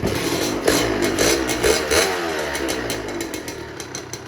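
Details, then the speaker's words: Old Honda Nova Dash two-stroke with a newer body kit, sold as-is: a crisp buzz that picks up cleanly on the throttle and drops back without misses or rattles; the engine is strong and revs healthily. "แต่เครื่องก็แรงนะเครื่องแรงเลยนี่นี่ประมาณนี้นะครับ"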